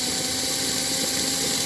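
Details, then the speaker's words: Model locomotive motor on a replacement tight chassis, about 1 amp and 7 volts upward: steady high-pitched electric whir, even, no crunching gear noise like the worn-bushing chassis; the motor stays cool, drive healthy. "It rolls up to 7. Nice and easy. You don't hear the crunching gear noise like we had on the other one."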